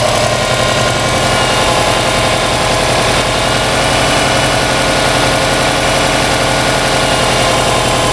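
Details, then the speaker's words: Subaru Baja rescue project, second start with coolant added and alternator belt connected: started right up, steady even idle with smooth unbroken beat, no misses or knocks; temperature gauge being watched. "Second start with coolant in and the belt connected for the alternator. Wow, dude. Wow. started right up."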